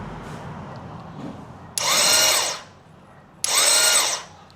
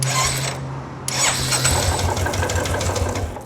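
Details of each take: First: Royal Enfield Classic 350 with cover removed: two short high whirring bursts as the starter motor spins freely without turning the engine; worn one-way sprag clutch bearing not engaging, needs replacement. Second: Royal Enfield Classic 350 right after sprag clutch replacement, no oil in engine, chain tensioner not yet fitted: short starter whir, then the single fires and settles into an even thump. Starting problem fixed.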